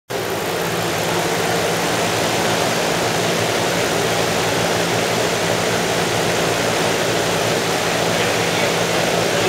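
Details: 2011 Ford F150 5.0 V8, bi-fuel: on gasoline it runs with a harsh, rattly metallic clatter through a dense roar, heavy detonation; on natural gas it did not knock.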